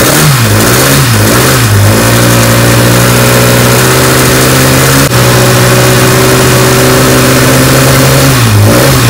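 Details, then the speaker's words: Rebuilt 1380cc Sprite/Midget race engine, billet steel crank, six-inch rods, forged flattop pistons, about 13–14:1 compression, race gas, warming up on test stand in cold weather; crisp blips from steady idle drop back cleanly, even note; healthy, timing advanced gradually due to cold. "man say we're having to sneak up the timing because it's so cold"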